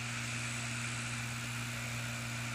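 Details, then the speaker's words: PS3 Slim disc drive after the temporary fix, spinning up a game disc: a steady, even hum with a faint high whine and no clicking or grinding; it reads and plays normally. "it'll load it up and play it perfectly fine um I play Battlefield Grand Theft Auto 5 just like this"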